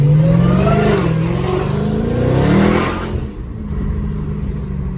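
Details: Dodge Hellcat after crank-no-start repair, fuel line clip broken or loose causing no fuel pressure, clip replaced: strong clean rev climbing and falling smoothly, dropping back to steady even idle; engine sounds good.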